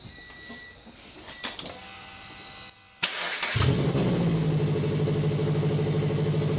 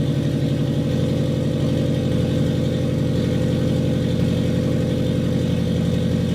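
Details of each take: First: Custom turbo FRS, recorded 2017: engine cranks, catches and settles to idle with a sharp puffing rasp from the exhaust pipe. Exhaust leak where the pipe gasket didn't seal. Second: Custom turbo FRS, warm after running a while, with the exhaust pipe gasket leak now fixed. Revs up smoothly and drops back to a steady, even idle with no ticking or puffing: normal revving and idle.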